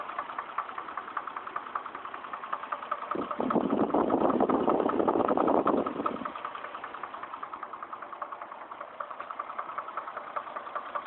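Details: Chevrolet Trailblazer at about 110,000 miles, code P0014, idling petrol engine with a steady knock about two and a half a second, cause unknown; engine knocking at idle.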